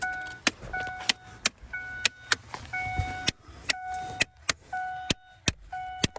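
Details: 2009 Ford Taurus: sharp plastic clicks about twice a second from under the dash, a failing blend door actuator skipping its gears, located; recurs about every six months.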